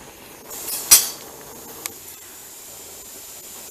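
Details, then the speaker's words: Presto dial-gauge pressure canner on its first test run, venting steam for 10 minutes before the weight (jiggler) goes on: steady soft hiss with one brief louder puff; normal steam venting. "But it is steaming, so I'm gonna put the timer for 10 minutes and we'll come back to put the jiggler on."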